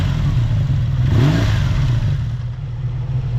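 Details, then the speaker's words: Honda VF750F V4 after carburetor sync (cylinders 1, 3, 4 close, 2 brought down), idle set back down: even idle rises cleanly into a quick rev and settles smoothly; balanced, normal. "all right I think we've got them pretty close we're going to adjust our idle back down and check it one last time"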